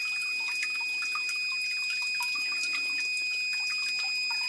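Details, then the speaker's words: Battery backup sump pump with its check valve removed by an installer, no pump running: irregular light drips and trickles as water in the line drains back through the pump into the pit. "now also since the second installer removed the um the check valve water in the line now returns back into the pit through the pump hopefully you can hear the water dripping in"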